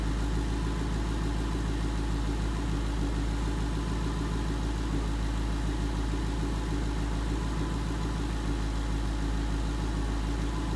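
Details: 2011 Mustang GT 5.0 Coyote V8 with Roush exhaust at idle after replacing all rod bearings and rod bolts: smooth, even idle, deep steady exhaust rumble in an echoey room, no ticking or knocking; fixed and healthy.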